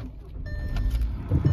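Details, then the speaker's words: 2010 VW Jetta, manual, 188k miles, started from inside the cabin: short crank, catches cleanly within a second and settles into a low even rumble; normal start. "Fires right up. Car's running."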